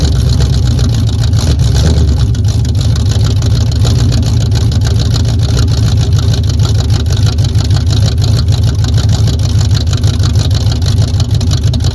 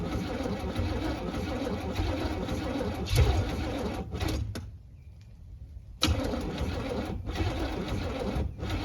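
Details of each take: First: 1978 Camaro V8 with no choke, started with a freshly charged battery at about 45°F after failing in 16° cold: cranks briefly, catches quickly and settles into a strong, even idle with a steady deep burble. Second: 1978 Camaro V8 on a 16°F day with no choke and a damaged Demon 625 carburetor: cranks on and off, fires a couple times even with ether but never catches.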